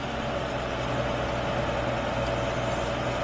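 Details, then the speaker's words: 1983 AMC Eagle Sport SX/4 4x4, original 258 cu in six-cylinder, under 35,000 miles, custom exhaust tip: even, steady idle with soft low burble and no knocks, ticks or misses; runs smoothly, "like a brand new car." "let's start it let's hear Jim sounds like a brand new car"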